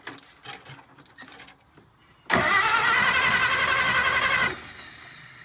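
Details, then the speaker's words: 1951 Pontiac Chieftain straight six, first start attempt in 25+ years: starter turns it over at a steady quick pace for about two seconds without catching; no fire, points suspected of not sparking. "I need a flat screwdriver I'm just gonna open up and close the points see if it's creating a spark"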